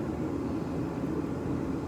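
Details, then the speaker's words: Sunfire heater relit after restart, as it will operate on a thermostat: steady low roar with an even whoosh of air, no sputter or surging; running normally. "Now the blower fan came on. You'll hear the igniter going. There it is. So that's how it's going to operate on a thermostat."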